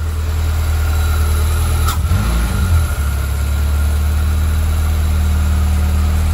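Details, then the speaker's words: Mazda VVL engine after repair work, near operating temperature: a steady, even low hum with no knocking or ticking. The earlier noise is gone and the engine is quiet and healthy. "okay so the sound's gone it look like we in business very glad to hear that the engine's nice and quiet very very glad for that"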